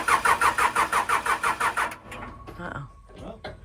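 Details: Case 580L backhoe, fuel filters changed and battery cables repaired, new batteries fitted; starter churns the engine at roughly three compression beats a second for two seconds but it never fires; cause not found.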